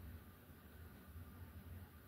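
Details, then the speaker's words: 42-inch SMC U42 ceiling fan on high with light kit on, after repairing its bent blades and light sockets; soft even whoosh and low hum with no clicks or rubbing, bearings quiet, running normally. "bearings are quiet again, which is nice."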